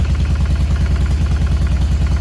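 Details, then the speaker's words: 2007 Harley Sportster 1200 fuel-injected: heavy, lopsided thumping idle with one strong beat and a missing partner. The front cylinder is dead; the scope shows no injector pulse on the front cylinder. "the upper line which is the front cylinder is not doing a damn thing"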